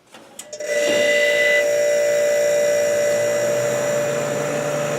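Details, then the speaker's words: Kenmore dehumidifier, over 6 months in use, after cleaning and oiling the fan motor, run in a cold room with compressor plugged in: brief clatter then steady even hum and soft fan rush, no rattles or scraping; running normally. "sounds fantastic that's not alright yeah pretty much on for right there so there you have it guys that's how I clean and I guess maintain the dehumidifier oiled the motor and it sounds great all right very smoothly not so many vibrations"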